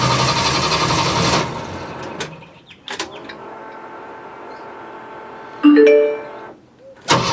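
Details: Jeep CJ-7 on ramps with a freshly cleaned, reinstalled gas tank holding four gallons: the starter spins briskly about a second but never catches. Air in the lines is suspected at first; the anti-theft kill switch was still on.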